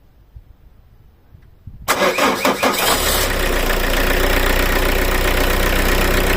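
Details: Car started on a Lidl jump starter alone, with the battery positive terminal disconnected to simulate a total battery failure: about a second of cranking, then it catches and settles into a steady, even idle. Clean start.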